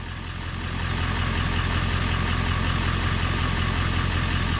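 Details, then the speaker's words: 1994-97 OBS Ford 7.3L Powerstroke just fitted with an electric fuel pump conversion, started on one crank: steady, even diesel clatter settles in with no misses or stumbles as fuel pressure builds; clean, healthy idle. "Yeah. Sweet! One crank. Unbelievable."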